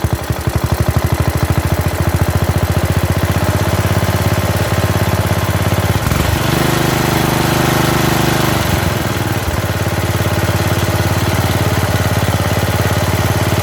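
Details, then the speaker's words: Bolens riding mower, single-cylinder, gravity-fed fuel, after new carburetor and new starter; the starter bendix still sometimes jams. Steady, even chug with no misses, knocks or sputters; runs good, not smoking. "hey even the headlights work i would say that it runs good it sounds good it's not smoking"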